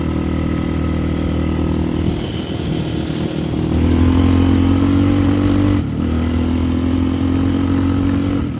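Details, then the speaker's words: Yamaha Raptor 660 ATV, freshly rebuilt engine, started by jumping the solenoid since the key switch is bad: idle settles, rises on a light blip, steadies; regular single-cylinder thump, no knocks; normal idle, needs a little tuning. "Starts right up, sounds good. Needs a little bit of tuning."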